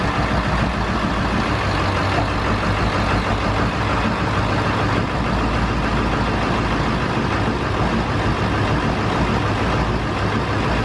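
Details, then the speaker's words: Ford 7.3 Powerstroke diesel running after installing new Stage 3 205/30 injectors; steady, even diesel clatter with a deep constant rumble, no knocks or misses, running nice and smooth at idle. "so the truck is finally running we got the new injectors in it's running nice and smooth as you hopefully as you can hear behin"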